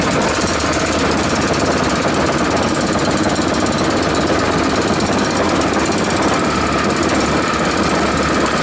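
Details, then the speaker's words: Honda 5.5 HP single-cylinder engine after rebuild, first start outside: quick even chatter holding steady speed, no knocks or misses, idle lower and better than another one; normal running. "Seems to work pretty good. Idle's better than another one."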